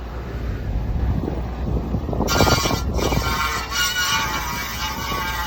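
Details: 2007 Honda Accord sedan: low rolling rumble, then harsh metallic scrape with thin screech at slow speed when turning left; bent brake dust shield scraping inner (engine-side) face of rotor, fixed by pushing shield away from rotor.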